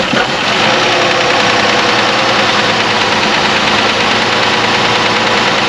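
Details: Chrysler after repair of a P0203 fuel injector circuit open code, leak-checked and buttoned up: engine catches and settles into a steady, even idle with a smooth, unbroken tone and no misses or knocks; healthy.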